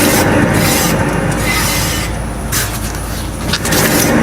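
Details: Car at road speed with a steady low drone and rough rushing edge, no knocking. It comes from a worn wheel bearing, not the tyres.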